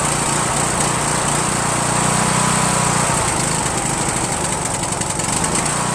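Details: Rebuilt Briggs & Stratton 17.5HP engine (replaced two broken balancer counterweight links) repowering a Yard Machines lawn tractor, first start on choke, no belt pulley: fast-idle drumming turning uneven and choppy after seconds; rough running, owner suspects carburetor, needs fine tuning.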